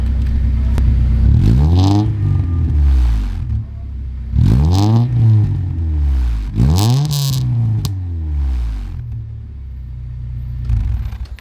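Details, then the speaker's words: Honda EK Civic naturally aspirated four-cylinder, before its turbo kit install, dash warning lights on: starts cleanly, then three crisp blips rise and fall smoothly with even firing; normal idle and revving. "we'll quickly start the car up just so we can hear what it sounds like before the turbo and then after if I can there we go"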